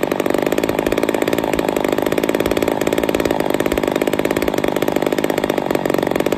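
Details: Ported Poulan 245A chainsaw with bow bar, first start, cold: high, fast, very even buzz, sharp and screamy at steady throttle; running a little lean, starving a touch, needs carb tuning.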